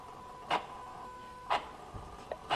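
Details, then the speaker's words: Motorized throttle body on a car, actuator test run from a diagnostic tool without removal: short whirring snaps about once a second as the butterfly is driven open and shut, with a whistle the tester calls normal; clean sweep, normal actuator. "je sais pas si vous l'entendez vous allez entendre ce sifflement là c'est normal"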